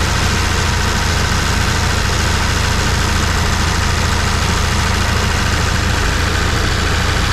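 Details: 1974 Plymouth Duster slant six, sitting since 1987, just started on can-fed fuel: steady, even idle with no misses or backfires. Runs good with no major leaks; owner suspects no coolant in it and a radiator hole.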